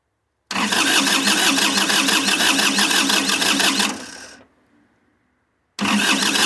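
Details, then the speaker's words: 1990s Kubota L2500D 4WD diesel tractor, accelerator pushed forward, ignition on, being jump-started: fast, even starter churning for about three and a half seconds with no firing, then silence and another crank. It cranks but won't start. "So what I've done is I've pushed the accelerator forward, turn it on, so the ignition is on, and we're going to try to jump it, going from the positive to the negative down here."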